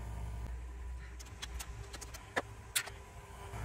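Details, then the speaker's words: VW New Beetle Turbo, engine off: a low steady buzz from the large fan relay stuck closed, keeping the turbo electric water pump running and draining the battery; the buzz stops when battery power is pulled. "you hear that buzzing okay that is a relay that has not released"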